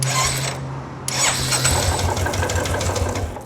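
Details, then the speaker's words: Royal Enfield Classic 350 right after sprag clutch replacement, no oil in engine, chain tensioner not yet fitted: short starter whir, then the single fires and settles into an even thump. Starting problem fixed. "So, it starts. The bike starts. I just turned it off because it the bike does not have oil in it."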